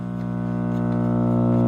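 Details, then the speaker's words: RCA 16x3 vacuum tube AM radio from the 1940s with no sound or reception: steady low buzzing drone that swells slightly, independent of volume; filter caps suspected, possibly output circuit, not confirmed. "Yeah, that's independent of volume. That is filter caps, I think, at least to start with, since it's completely volume independent, or it could be something related to the output circuit."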